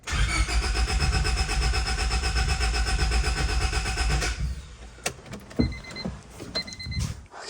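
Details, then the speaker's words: 1999 Honda Civic, right after fuel filter replacement, second start attempt: starter churns steadily about four times a second but engine never catches; no fuel in the new filter, which then leaked from the top. Crank no start, fuel starved. "now obviously we know why it's not starting because there's no fuel in the filter"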